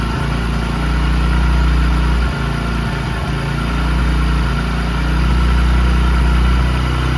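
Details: Discover 100 (BS3) single idling after timing chain replacement cured a chain noise: steady, even low putter with no tapping or chain rattle on top; sounds smooth and healthy.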